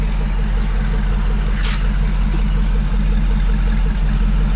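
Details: Hummer H2 V8 after fixing random misfire and sudden shutdown (coils, plugs, wires, injectors checked): smooth, even idle with a steady low rumble and no stumbles or dropouts; running properly.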